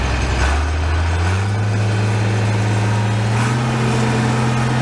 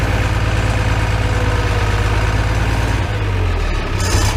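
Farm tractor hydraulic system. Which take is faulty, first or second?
first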